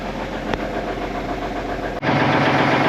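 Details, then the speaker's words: 1989 Kenworth K100E with big cam 4 Cummins, cold start, fast idle switch engaged: steady diesel clatter stepping up sharply to a higher even fast idle; smoking a little while cold, considered normal, running healthy. "There we go. Fast idle and she's starting to clear up a little bit. So one thing about these old Cummins, the big cams, they smoke when they're cold."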